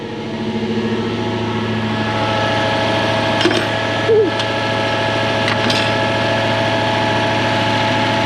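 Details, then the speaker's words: Toyota 1UZ-FE 4.0 litre V8 swapped into a Mk1 Ford Cortina, first proper run; lumpy, uneven idle with one cylinder still not firing. Oil pressure 600 kPa (about 90 psi). "we need to get that last cylinder working don't we"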